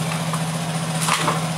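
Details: Yamaha Nozza Fi scooter that sometimes stalls while riding, fuel pump already checked: low steady idle thrum with a few scrapes, sounding weak; rough idle, ignition timing found off, possibly low compression.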